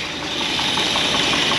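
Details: 1964 Buick Electra 225 V8, fire-damaged, running after revival: light steady tapping keeping time with engine speed over smooth idle, very good oil pressure; top-end tick of unknown origin.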